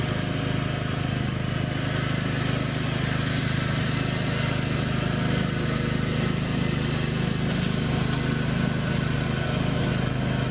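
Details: 1987 John Deere 160 mower after refitting the 204RR6 sealed deck bearings, with the dry top bearing soaked in used engine oil and swapped with the bottom one: a steady, even engine drone with no scraping or rumble from the deck. Blades spin quietly and sound healthy.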